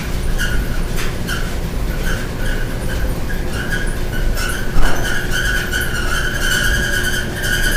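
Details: Loud steady high squeal over the dryer's rumble as the drum turns; squeak source unknown.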